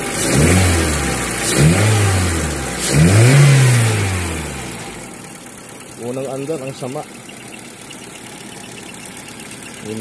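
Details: Honda L13 engine: revs rise and fall with an uneven, stumbling beat instead of a clean steady pulse; engine misfire.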